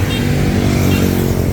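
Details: Yamaha Sniper 155R single-cylinder engine running after repair of a loud knocking; rider first suspected the rocker arm bearing, but the cause was a faulty cam chain tensioner. Now a steady, even beat with no knocking under the exhaust note; back to normal.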